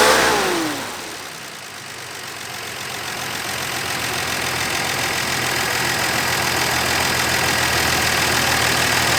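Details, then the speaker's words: Dodge Dart Swinger (A-body Mopar survivor) with 225 Slant Six and single-barrel Holley, just revived after sitting: even idle building smoothly in speed, no knock or tick; pulling clean gas from tank, fuel line good, motor sounds great. "It's pulling up clean gas from the tank, which means that our line is good between the pump and the tank. Motor sounds awesome."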